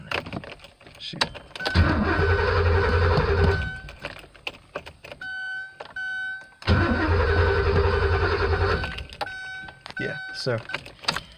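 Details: Porsche 928 cranking briskly in two bursts of about two seconds but never catching; battery was dead earlier, owner suspects bad relays: crank, no start.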